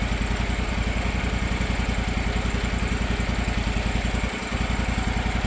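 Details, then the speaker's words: Circa-2006 Gravely 260Z mower with a Kawasaki FD750D engine, after a replacement aftermarket carburetor and the idle screw reset and locked, not fully warmed up: even putter at about 3.5 beats a second. Smooth idle, surging gone. "No surging at all. Of course, not totally warmed up yet, but sounds pretty good. Sounds great."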